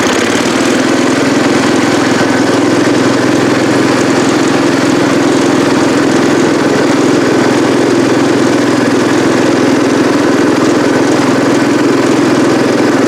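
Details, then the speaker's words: Cub Cadet 108 tractor: steady single-cylinder chug at fast idle, even, no stumbling or popping; running normally, though carburetor float sticks and drips fuel when shut off. "so all right all right y'all there you have it got it running got it running up through the driveway here or up to the upper shop here"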